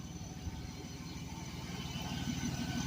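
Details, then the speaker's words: 1998 Chevrolet Blazer LS 2-door 4x4 with 4.3 V6 at idle after startup: low even idle with a steady soft pulse and quiet exhaust, runs smooth with nothing out of place; normal idle. "pretty quiet exhaust which is good I was going deaf with the the Luminous exhaust to be honest with how loud it was 4.3 basically a 350 with two Pistons chopped off sounds pretty decent not as good as a V8"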